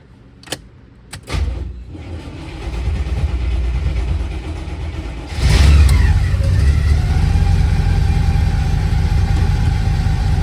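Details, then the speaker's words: After alternator work, first start: cranks, fires and idles with a faint steady high-pitched scrape over the engine; alternator belt or pulley rubbing a nearby part, fixed by rerouting the belt. "that's a different noise I do not like that what the hell is that I see what that noise was making contact that thing right there"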